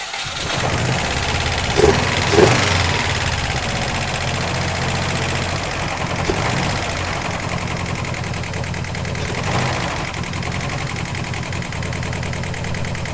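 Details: Subaru WRX that died at 45 mph, started after the timing marks were set: rough idle with a loose, uneven top-end tick about four per second; owner fears the engine is blown, cause unknown.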